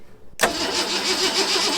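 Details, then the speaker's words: Long-parked 1974 Ford F100 cranked by a button at the starter solenoid with starting fluid: quick cranking with a few sputtering catches that never keep going. Ignition works, but no fuel is reaching the carburetor. "Well, that's cool. So that means our ignition system is working, and we just need some fuel."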